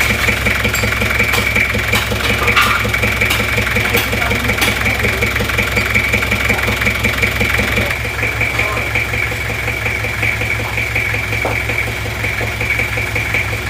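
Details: Toyota Kijang LGX diesel idling with air filter removed, bok-bok puffing from intake louder, like compression blowing back into the manifold. Steady diesel idle with rhythmic chuff about once a second at the intake; intake valve clearance too tight.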